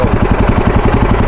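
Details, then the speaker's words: Royal Enfield Himalayan 450 single-cylinder at idle, steady thumping about eight beats a second with a light tick on each beat from the cylinder head; tappet noise present for two to three months, to be gauge-checked at service; cause suspected, not confirmed. "ಹ ಮಾಡಿ ಟಕ್ ಟಕ್ ಅಂತ sound ಗೊತ್ತಾ head ಅಲ್ಲಿ ಟಕ ಟ ಅಂತ ಹೆಡ್ ಲಿ ಟ್ಯಾಪೆಟ್"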